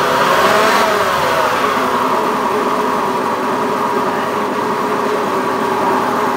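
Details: Honda Beat FI eSP eco scooter revving with a coarse, uneven rasp over a busy buzzing note. The owner reports rough engine sound, cause not identified.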